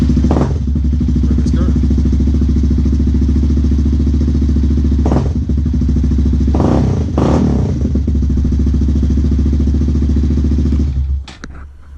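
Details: Honda Grom (MSX125) single-cylinder at 3,074 miles, in neutral, just started after a spark plug change. Steady, even low idle thump with no ticking or misses; a healthy idle.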